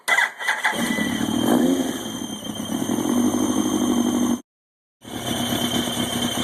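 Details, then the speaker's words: 2000 Yamaha YZF-R1 after an engine rebuild, idling: steady high-pitched squeal over a smooth idle. The squeal fades as revs rise and is intermittent; the owner suspects the worn water/oil pump. "I've been listening around for the source of that squeal and it's starting to actually go away especially as I get the revs up"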